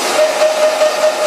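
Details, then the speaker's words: Grizzly G0752 lathe, freshly cleaned and oiled, forward at high speed settling at 2064 rpm with the half nut engaged and the lead screw moving: a steady, even hiss with a smooth mid tone and no knocks or grinding, normal. "So here we go. Power on and forward at high speed. 2064. Settle on 2064."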